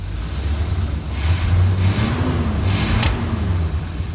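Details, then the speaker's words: 1972 Corvette barn find, 454 big block, idles fairly but dies when given gas, with flame from exhaust: rumble stumbles on throttle with a sharp backfire pop; timing suspected, ignition/distributor under investigation. "And it's not idling too bad. But when I give her gas, she'll die out. Woo! There's Look at that flame."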